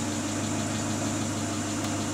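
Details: Great Wall Hover H3 after head gasket replacement for a blown gasket (antifreeze in cylinder 4), warm at 86°C, no errors: smooth, even idle with a steady low hum and no misses, ticks or knocks; healthy.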